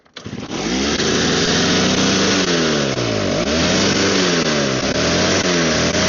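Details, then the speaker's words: Snow blower small engine that smokes heavily and only runs with prime bulb, idle screws vibrate out of adjustment: runs with pitch rising and sagging every second or so, hunting; owner suspects dirty carburetor. "So I'm going to go through and try and clean the carburetor and see if I can get it to stay running."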